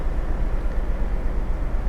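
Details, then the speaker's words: Salvage auction vehicle with about 165,000 miles at idle: rough, uneven, lumpy low thumping that stays with a little throttle; misfiring badly on a cylinder, low coolant warning shown. "she runs but she's got a Miss let's see if it goes with a little bit of gas no it doesn't go away at all she's running real bad"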